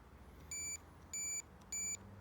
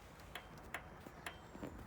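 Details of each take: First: Royal Enfield Classic 500, diagnosing no-start from a failing starter relay; starter button wired to multimeter on continuity. Three crisp high beeps, one per button press; starter switch continuity good. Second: Royal Enfield Classic 500, ignition on, no crank: faint sharp ticks about every third of a second as the starter relay half works, with no voltage at the starter; faulty starter relay.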